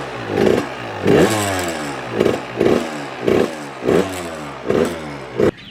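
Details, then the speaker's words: Suzuki RM85 on its first start after a build. Repeated revs about once a second, each with a metallic clatter. Owner suspects the first and second motor mounts, not fully tightened; cause unconfirmed and idle still not right. "is that let me tighten this bolt because it might be this bolt i don't have the second motor mount or the first one tighten all the way"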